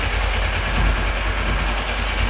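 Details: 2011 Kawasaki ER-6f Ninja 650R twin, unused a month, after cleaning rust off the battery (relay not fixed, loose connection remains): starts and settles into steady smooth low idle without misses or knocks.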